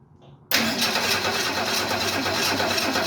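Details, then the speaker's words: 1968 Ford Mustang, long stored, fresh gas and a little fuel in the carburetor: starter spins steadily about three to four turns a second, engine tries but never catches; battery then dies. "Oh, it's trying. I don't know if you could hear that, but it's definitely trying to start."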